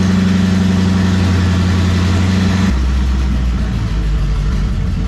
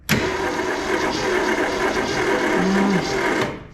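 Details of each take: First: 1967 Ford Mustang barn find sitting since 1986, straight-pipe exhaust: loud unmuffled V8 idles steadily, then quick throttle blips rise and fall cleanly; healthy running. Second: 1967 Ford Mustang sitting since 1986, cranking with plugs in and no spark: steady starter whir about three seconds with slightly uneven rhythm; it has some compression, possibly one dead cylinder.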